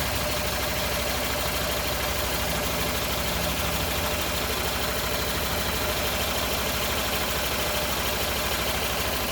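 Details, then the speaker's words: 2011 Renault Sandero 1.6 with misfires, low idle and power loss, after new fuel pump, spark plugs, MAP sensor and throttle position sensor: idle steadier but slightly uneven with faint irregular shudder, less shaking, power still lacking; rough idle. "well the shaking is not as bad as as it was but the power is still not there"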